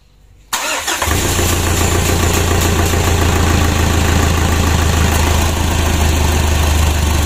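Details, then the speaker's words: 2012 Pajero Sport Dakar diesel after engine rebuild, first start: starter whirs briefly, engine catches into slightly uneven idle clatter, ran then died and was cranked again; fuel not yet pressurized in the rail and hoses. "Putaran pertama berhasil, lalu mati lagi, mari kita putar lagi . Ya, seperti biasa, bahan bakar belum bertekanan di dalam rel dan selang."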